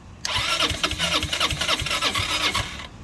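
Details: 2006 Zhejiang Kangdi 250cc kart on start fluid and gas: quick uneven cranking puffs catch barely two seconds, weak irregular firing then dying; worn engine, low compression, blow-by, rings stuck or bore problem suspected.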